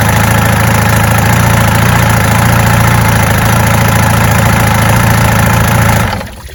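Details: 1965 Evinrude Electromatic 75 hp two-stroke outboard after new water pump, impeller and lower unit service: smooth, even low idle burble, no misses or knocks, good water flow, shut off cleanly; normal idle.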